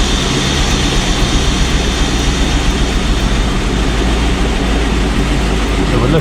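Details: 1995 Chevrolet Corvette C4 LT1 V8 after performance Opti-Spark distributor replacement: loud, steady, even rumble at idle with no misfire, stumble or ticking; the earlier high-res fault code no longer appears. Normal idle.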